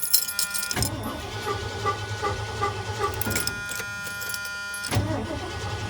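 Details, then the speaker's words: Truck that went from running perfectly to not starting, after a coil ground wire was added: starter turns the engine over steadily for several seconds but it never fires; crank no start, owner suspects something in the distributor. "Might be a job for Don. Because the only thing I can think of really is something in the distributor."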